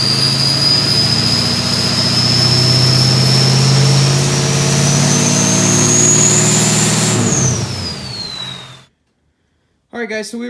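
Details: Ford 6.0 Powerstroke diesel race truck with 6.4 starter and 6-inch stack, first start-up after cam/crank sync trouble: deep steady rumble held around 1,500 rpm with clean rising turbo whistle, then shut down; runs smooth and healthy.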